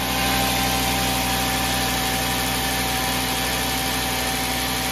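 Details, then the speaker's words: Cold start of a 2007 VW New Beetle 2.5 after replacing the PCV diaphragm (Dorman 617-064), which had caused a loud whistle and a loping high-low idle: smooth, even high idle settling to normal idle, no whistle, no hunting. "so this is a cold start it starts off in a bit of a high idle and then it'll come down to a regular idle"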